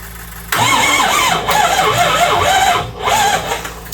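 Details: 2005 Ford 6.0 Powerstroke with ZF6 transmission, sitting about ten years, on a jump pack: the starter spins the engine in an uneven, pulsing whir for several seconds without catching; crank-no-start, and the fuel pump sounds bad.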